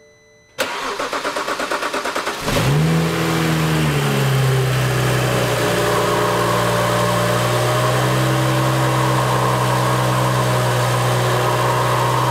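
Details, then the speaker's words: BMW N55 engine in E-chassis 335i after valve cover gasket replacement: about two seconds of rhythmic cranking, then it catches, flares and settles to steady idle; long crank due to empty fuel rail. "I'm gonna go ahead and start it up it's gonna take a second for it to start just because there's no fuel in the rail right now"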